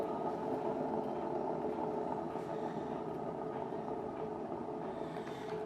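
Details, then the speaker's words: Washing machine drum motor removed, unplugged and spun hard by hand: continuous rough, gritty rumble that fades as it slows, brushes fine; worn drum ball bearings, which are pressed in and hard to replace. "so it's these ball bearings that's a weird noise inside too"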